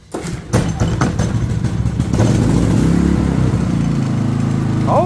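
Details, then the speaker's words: Harbor Freight Predator generator that ran badly with low power, now running with the spark arrester removed from the muffler: catches after a brief crank, then settles into a steady, even drone with no misses or surging. Healthy running after the fix. "there you go purr's like a kitten now so there you have it generator runs perfectly like it should"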